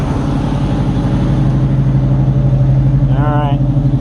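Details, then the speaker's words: Carbureted Fox body with two chambered Flowmaster mufflers (2 or 2.5 inch, owner unsure), cold start after sitting: even lumpy V8 rumble at steady fast idle, even exhaust beat, no knocks or misses; healthy cold start. "got you guys the cold start remember it's got two chambered flowmasters on it two and a half inch or two inch"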